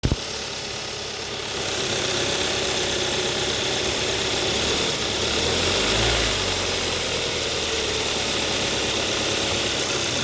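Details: 2014 Hyundai Sonata 2.4L GDI: a light, fast rattle that appears only in gear at about 1000–1500 rpm when pulling away. It persisted after a belt tensioner replacement, and traced to the AC compressor because it stops when the AC is off.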